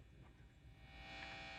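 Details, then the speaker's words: Vintage Gibson BR-9 tube amp with both input tips grounded and the volume at max: quiet, steady low hum with a faint buzz that stays with the inputs grounded; mains hum, source still unknown. "This is both input tips grounded because these are not switching jacks. The noise is still there, but that's max,"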